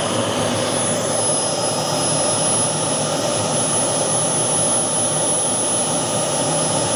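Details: Boomerang Atom / FTL Lancer RC jet turbine, engine run on a new fuel system with vectored thrust: steady, even roar with an airy hiss, no surging or rattle; runs smooth with a good throttle band and lots of power.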